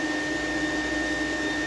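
Steady high motor whine with a slightly strained, wavering note as airflow drops; a dirt-loaded filter is choking the vacuum's intake.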